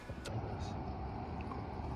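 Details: Truck after repair with wiring re-secured and zip-tied: steady, even low rumble with no clicking, grinding or clunking; running smooth and healthy, normal.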